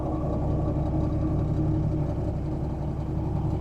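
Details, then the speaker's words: Big Cam Cummins diesel in a parts-donor semi truck, refired after priming the fuel system, about 40 psi oil pressure; steady deep even clatter with no misses or knocks; normal diesel idle. "Like about 40 pounds of oil pressure at idle. It really doesn't sound too bad at all. Sounds like a big Cam Cummins to me."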